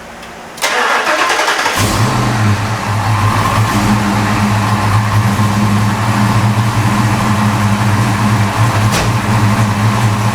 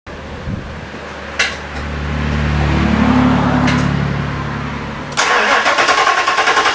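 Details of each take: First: Fox Body V8 with new valve seals, started before warming up, after swapping a leaking X-pipe for an H-pipe; cranks, fires and settles into a steady deep idle with no header exhaust leak ticking or puffing. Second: Fox Body V8 with new valve seals, cold before exhaust heats up, idles with a low rumble then a sharp, rapid puffing tick from an exhaust leak at the X-pipe to passenger-side header joint.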